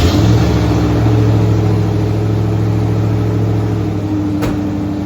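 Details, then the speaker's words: 1982 Ford Bronco (bullnose) after reseating a torque converter that had come back 3/4 inch: steady smooth exhaust drone, the constant chirping/ticking now gone; sounds healthy. "The exhaust sounds so much better now that it's not just constantly chirping."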